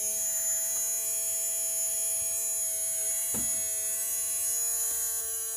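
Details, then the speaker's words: Tamiya Mini 4WD motor during break-in, powered up with no load: steady high-pitched electric whir holding one even tone with no rattle or stumble, a normal run. "so coming next what I going to do it is I'm just going to um put the power on okay so you can hear it's starting to break in"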